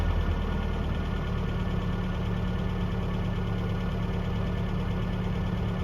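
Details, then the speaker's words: 1982 Toyota SR5 4x4 pickup after fixing crank-then-cut-off problem (carburetor rebuilt earlier; owner thinks emissions control computer box was the cause): even, steady idle with smooth low hum, no stumbling or dropouts; holds idle cleanly. "let's try pretty smoo at the moment up a little bit down"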